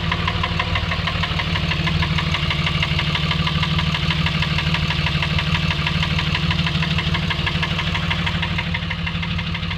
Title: Dodge ram engine knock